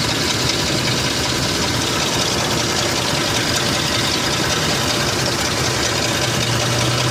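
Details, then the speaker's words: Lincoln Aviator 4.6 V8: rough idle with a hissy, chattering tick and sluggish throttle response, with gas fumes noticed under the car. The owner suspects an exhaust leak that has worsened, or an EGR problem; not confirmed. "a little sluggish on the throttle response but I don't know to me it sounds seem like an exhaust leak"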